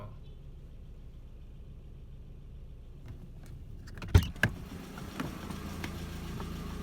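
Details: MK4 Jetta 1.8T idling after head gasket repair with replacement head, new timing belt, water pump and thermostat; low even rumble, no knock or tick, a couple of handling clunks midway; smoke, suspected valve cover leak from omitted camshaft covers.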